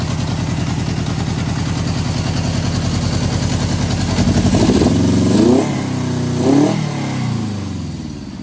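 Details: 1973 Honda CB750 four-cylinder, first start after sitting 15 years; previous owner parked it unable to start, cause turned out to be a worn kill switch. Catches, runs a little lumpy, blips up and settles; normal running.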